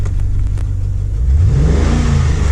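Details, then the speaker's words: 2009 Holden VE Commodore 6.0L V8, warmed up, idle dropped to 650–700 rpm, running rich and smoking: lumpy, uneven exhaust beat stumbling as revs rise; engine and ESP-off lights on; misfire later traced to a broken pushrod. "So you see the engine lights come on. We actually have a miss in the engine, and there's the ESP off light come on."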